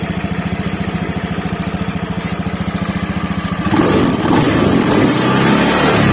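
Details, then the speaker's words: Honda Beat FI scooter after repair: even, steady idle thumping about three and a half times a second, then a clean rev with no roughness; harsh helicopter-like noise is gone, engine sounds healthy. "Oke betul suaranya akhirnya hilang"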